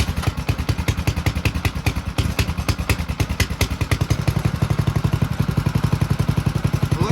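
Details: Monster Moto 212 utility quad being fixed up, clutch bolt possibly hitting a plastic piece: quick, steady single-cylinder putter holding an even idle with no surging or clatter, picking up slightly at the end; healthy idle.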